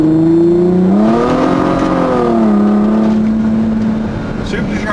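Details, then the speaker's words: SRT-6 accelerating from a coast-down in gear from about 5 mph: a clean tonal supercharger whine climbs, dips and holds with engine speed; it drops out in neutral, normal operation. "supercharger turns on when the car is going into low speed metal I'm doing 20 miles an hour I put it in neutral supercharger goes out immediately"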